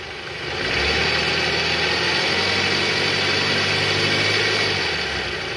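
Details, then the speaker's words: 2008 Toyota Harrier, 185,000 km, AC on, in R, revved to about 1000 rpm, after replacing worn tensioner: rises to steady raised idle, smooth, growl gone; balancer shaft still loose. "Oke sip suara ngoroknya udah hilang tahan yang tadi penyebabnya benar dari Tensioner guys"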